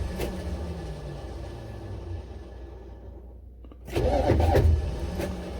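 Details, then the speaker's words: Buick Electra 5.7-litre diesel cold start attempt with plenty of starting fluid: sluggish, uneven cranking that never fires. Owner suspects the starter cranks too slowly and needs replacing or a shim. "sounds like it might be time for a new starter or at least a new shim something i don't know i just needed to kick over"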